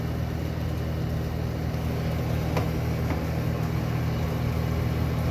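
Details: 1976 Eaton Viking dehumidifier with homemade plywood front panel, after panel vibration fix, running a while and collecting water: constant low compressor hum with steady fan rush, no rattles or surging; running normally.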